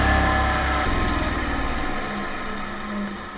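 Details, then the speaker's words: Bench grinder with no bearing play, running unclamped without walking on the bench: smooth, even motor hum with steady high whine winding down, no knocking or wobble; sounds powerful and well made, healthy. "i just love the way it sounds it sounds powerful it sounds well made"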